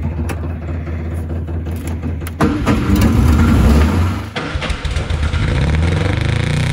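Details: 1962 Austin Healey Sprite Mark II, long-sitting, first start attempt with carb pistons frozen and one choke engaged more than the other: cranks, catches and stumbles with uneven firing and surging revs, never settling; carbs need adjusting, slight tailpipe smoke from added oil.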